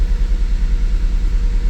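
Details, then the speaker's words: 2008 Mazda CX-9 started up: uneven, lumpy idle with a low rumbling shake from a cylinder 1 misfire; code shows an injector open circuit, and the scope shows no voltage or current at the injector. "let's Crank It Up definitely a misfire"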